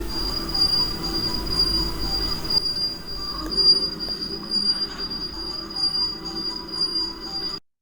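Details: Longer Ray5 diode laser with the gantry moving left to right. A steady high-pitched squeal comes from guide screw heads rubbing the aluminium gantry rail due to incorrect assembly; fixed without oil.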